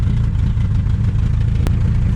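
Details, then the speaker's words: 1947–49 Studebaker flathead six, 3-speed overdrive manual, supposedly recently rebuilt, driving: low drone with uneven lumpy pulse under light load; misfire, suspected 6-volt coil overloaded on 12 volts or fouled plugs. "Doesn't sound like it's hitting on all of them. Maybe that 6-volt coil's getting sick of 12 volts."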